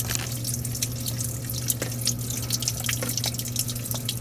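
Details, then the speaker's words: Under-sink kitchen plumbing leak in a 1958 house: uneven drips and splashes several times a second under running water, dripping from several spots into the cabinet; water damage and mold under the floor. "right, dripping from right there, dripping from way back there in the corner, dripping here."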